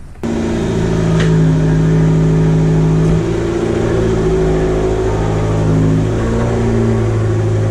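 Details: Fiat 500 Abarth after mods, with a diverter valve upgrade and a replaced, destroyed vacuum cap; spark plug tubes still leak, needing a valve cover gasket: steady, even engine note rising slightly then settling, no misfire or stumble.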